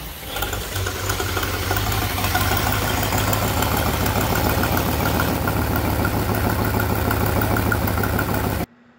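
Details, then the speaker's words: Idling 454 Crusader marine V8 (suspected ECU/knock-sensor shutdowns, now believed wiring): rough rumble with fast, uneven ticking puff from a blown exhaust crossover gasket on the intake manifold, which heats the throttle body; first mistaken for an intake leak. "here I'm getting ready to explain that that's an intake leak, and you can hear it, which you can, and you hear it, but it's actually an exhaust leak. That exhaust crossover is designed to heat up the throttle body, and that's what's blown out."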